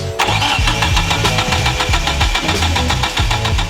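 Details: Mid-engine Eclipse with fully built 4G63T, after install and timing fix to about 15 degrees before TDC: steady idle with even, lumpy beat, no misses or knocking; running normally, though crankcase vents were plugged.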